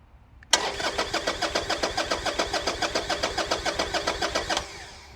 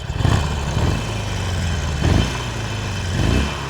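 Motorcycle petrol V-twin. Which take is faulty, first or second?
first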